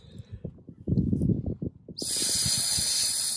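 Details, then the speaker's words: 1969 VW Bay Window Bus: air blown through a new soft brake hose gives a clean, steady hiss with no sputter. Hose open and flowing freely, unlike the old clogged one; all four soft lines were replaced. "nice and clear so that was actually the other reason why I decided to replace all four of them"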